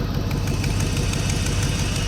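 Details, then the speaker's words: Third-gen tow-pig truck just fitted with a junkyard A/C compressor, started with A/C and heat off; steady, even low idle with no knocks, ticks or compressor grinding, normal idle. "Look at that. Woo. She's nice and quiet. Nice and quiet."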